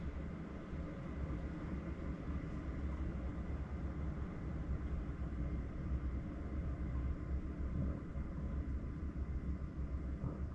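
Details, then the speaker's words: Chinese parked diesel heater with a silent fuel pump, running in a van: hot air coming out, a low steady combustion roar with no pump ticking; running quietly and normally. "Hot air coming out of there, lovely. That is lush."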